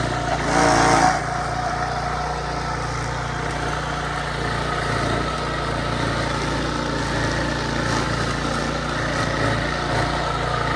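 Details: Early-to-mid-2000s Craftsman brush mower after 3 years unused, revived with carburetor rebuild, air filter, spark plug, oil change and new strings: small single-cylinder engine holds a steady, even drone cutting tall grass, no surging or misfire; normal under load.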